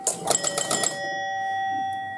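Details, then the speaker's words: 1971 Gottlieb Home Run pinball machine: after a home run, a quick burst of about six bell chimes in under a second, then fading tones; the home run is giving too many scores, while triples work correctly. "The home run's giving us too many scores, it sounds like."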